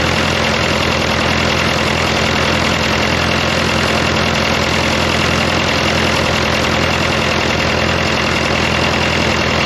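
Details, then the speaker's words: Fordson Power Major diesel crane, first run after sump reinstallation, fresh oil and topped-up water, hard start: steady even idle with regular beat, no knocking, occasional pop; only about 20 minutes total run time since acquired; running well. "Back here I can actually hear it's running pretty good. It does pop a little bit every now and then, but it's been running for all of 20 minutes maybe all up since I've had it."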